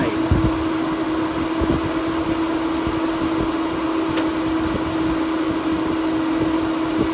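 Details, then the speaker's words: 5-year-old Suburban NT-20SQ RV furnace after burner replacement (flame had been going out after 15 seconds); steady fan whoosh, constant mid hum, no surging or popping: normal running with new burner. "it sounds normal out here with the new burner i'm happy"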